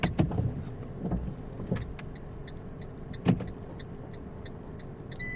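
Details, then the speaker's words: 2008 Fiat 500 with Dualogic semi-automatic gearbox, clutch recently replaced, jumps into neutral when stopping: quiet idle with repeated short whirring actuator bursts and no engagement clunk; gearbox tries but fails to engage gear. "it's no engaging gear but I can feel the gearbox trying yeah it's definitely not engaging gear now come on yeah I can feel the gearbox trying"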